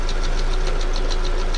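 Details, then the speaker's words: 2001 Ford Focus after engine rebuild and fuel pump replacement: quick light taps at about seven per second over a steady idle, seeming to come from the top end of the engine; tapping cause unclear. "that tapping sound sounds like it's from the top anyway it's just a temporary car for my buddy"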